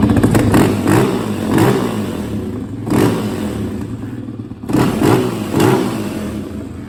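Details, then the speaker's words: 2017 Yamaha Raptor 700 single-cylinder after a new OEM fuel pump, valve clearance adjustment, and fresh oil and coolant. Crisp throttle blips settle back to a steady, healthy idle without misses. "sounds good nice item got that v-touch y'all get it again"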